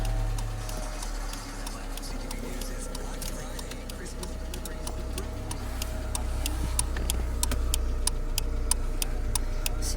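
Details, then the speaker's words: 1998 Honda Civic after turn signal switch and relay replacement, engine idling, turn signal on: crisp, evenly spaced ticks about three a second; flasher relay now clicking normally. "you touch this you can hear like a ticking sound or you can feel a ticking sound so now it's working"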